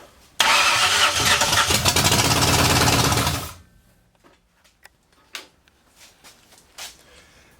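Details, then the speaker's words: 1964 Ford F100 with a salvaged 90s LTD roller-cam 302, off the road since the 1990s, first start in the garage with the carb bowls filled by hand; fires quickly, runs a few seconds with an even crisp beat, then dies as fuel runs out; sounds healthy. "actually sounded pretty good I was worried it being gear and you know decided to come at me"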